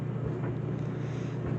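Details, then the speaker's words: Whirlpool Duet steam dryer WED9500TW, Normal cycle, load of colors: low rumbling tumble with soft, irregular thumps as the load turns, no scraping or squeal. Owner says this bumping has been normal throughout years of ownership; running normally. "While the dryer, whether if it's loud or quiet, I don't mind the sound as long as it gets the clothes dry."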